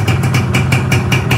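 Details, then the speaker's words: Yamaha 125Z two-stroke at first run after reassembly: block 25 oversize, only cleaned with head, clutch housing rubber replaced, stock exhaust. Even idle pulsing about five times a second, slight piston noise since piston not replaced. Normal idle. "Alhamdulillah mesinnya segini udah cukup halus, teman-teman. Untuk bagian tengahnya udah enak, sekarang suaranya juga udah lebih keluar."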